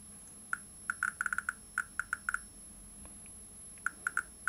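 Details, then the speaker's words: 1959 Sputnik-1 radiometer after replacing resistor No. 30 (510 kΩ) and 5600 pF and 0.02 µF capacitors. Sharp, clear clicks arrive at random, about three or four a second in clusters: normal counter clicks. "Let's check it. Well, the sound is fine now!"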